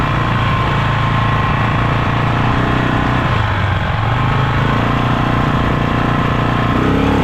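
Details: Polaris Sportsman 500 single after top-end rebuild, ridden under light throttle without plastics: rattly mechanical clatter over the exhaust note; cause unknown, owner considers CVT clutch chatter.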